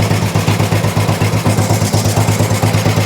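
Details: Old Royal Enfield 350 single, first start after carb work: steady thumping beat close to three firings a second, even and unbroken, settling into a clean, healthy idle.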